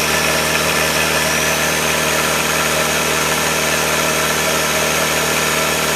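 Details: 1966 Allis Chalmers HD4 with rebuilt 1985 Gleaner F2 433IT combine diesel engine: steady, even diesel clatter at idle with no knocks, misses or hunting; running smoothly.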